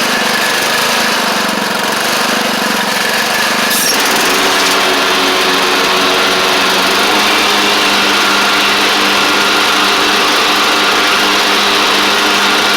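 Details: Craftsman DYT4000 riding mower after repair, engine running while driving: smooth, even run at steady speed with no knocks or misses; charging the battery, drives and blades work, healthy.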